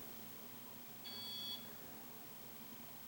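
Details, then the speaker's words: Ceiling fan remote, power on, fan button pressed: one clean high-pitched beep about half a second long in a quiet room, normal acknowledgement before the fan runs slow. "i press it once and it's just going to go slow now if i hold it on my finger on hear it did you hear it and that's how that's how you adjust it"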